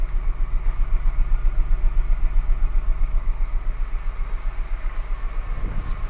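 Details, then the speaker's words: Honda Accord 3.0 V6 VTEC with misfire codes P1399 and P0301, idling with coils being unplugged: even puff-puff pulses, roughly four a second, from each exhaust pipe. Misfire; coil on cylinder one suspected. "another symptom is this kind of puff-puff-puff-puff coming out of each exhaust pipe"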